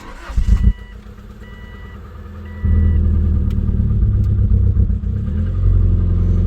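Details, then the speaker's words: Subaru Legacy, first start after engine refresh, force start after clear-flood cranking: short crank, catches about three seconds in and settles to steady even idle, faint chime, battery light on, power steering pump sounding happy; smoke from exhaust; normal start. "Battery light. Okay. Power steering pump sounds super happy."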